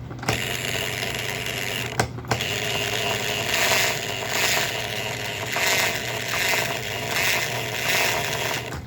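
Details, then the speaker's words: Model train loco chassis with an added gear for the puff and chuff signal, on a new frame and gear: a raspy, scraping gear whir pulsing about every 0.8 s; the source of the noise is unclear, and the owner hopes it quiets down or more grease helps. "Over time, maybe it'll quiet down, or we'll put more grease in it."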